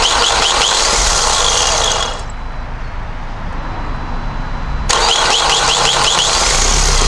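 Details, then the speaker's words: Vauxhall Vivaro 2.0 diesel after new power steering pump and auxiliary belt, bleeding system by turning lock to lock: steady even idle, dips briefly under steering load then recovers, no belt squeal; normal idle. "what I'm going to do is I'm going to fire it up to turn the lock left to right left to right try and push the fluid through the rack"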